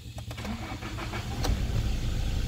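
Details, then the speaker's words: Toyota Hilux 2018, 2GD 2400 cc diesel, 4x4, engine bay dry: few quick cranking turns, then catches and settles into an even deep idle with no knocks; very smooth and responsive, healthy start. "Ya pemirsa sangat responsif mesin sangat halus rata"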